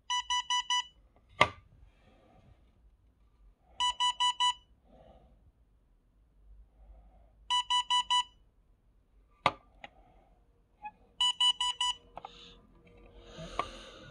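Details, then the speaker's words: Itronics ITB200L dashcam: four quick high beeps repeating every few seconds. This is the memory card warning, given when the card needs formatting (hold the button 5 seconds, ideally daily) or no card is present. "그렇게 안 하게 되면 여기서 이제 뭐 이상한 소리가 납니다. 어떤 소리가 나나 한번 들어보세요, 여러분. 되게 듣기 싫은 소리가 나."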